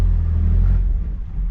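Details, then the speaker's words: 1997 Toyota Tacoma at salvage auction, 211,000 miles, no title: engine catches with heavy low rumble then sags and dies within about a second, dying again even with foot on the gas. "okay so it starts but it dies right out let me see if I can start it and keep my foot on the gas"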